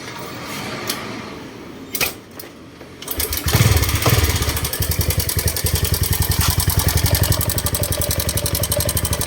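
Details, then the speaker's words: Honda Wave 125 engine starting and idling: fast, loud metallic clatter from the slapping cam chain; the cam chain tensioner is bad and gets replaced. "อ่าอาการคันนี้ก็มีเสียงดังจ๊อกแจ๊ก๊แจ๊กอยู่แถ๋วนี้นะครับ"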